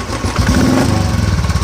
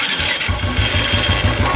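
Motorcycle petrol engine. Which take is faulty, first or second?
second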